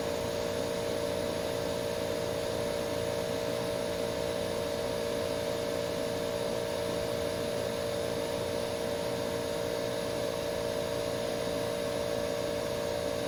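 Even, unbroken hum with a steady mid tone and smooth airflow, no rattles or squeals; this unit sounds healthy.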